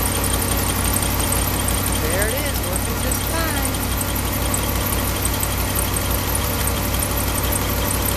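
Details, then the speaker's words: Cold truck engine just after a spark plug wire repair: steady, even idle sitting slightly high because it is cold, no misses or stumbles; normal cold idle on all cylinders. "okay so there's our wire installed and yellow one there and Idols gonna be a little bit high because the truck is cold but it will fire it up"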